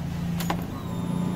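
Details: Honda Beat scooter after new fuel pump install: steady low electric hum with a brief click at key-on, normal priming; fuel pressure now 40+ versus 20 before, old fuel filter was very dirty.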